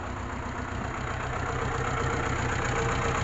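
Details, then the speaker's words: Mitsubishi Colt T120SS petrol engine idling rough and lumpy, about four pulses a second; cylinder 4 has no compression. Engine also runs rich, hard to start, 5 liters for 3 km. "Nah setelah kita lakukan pemeriksaan ternyata di silinder nomor 4 itu tidak ada kompresi"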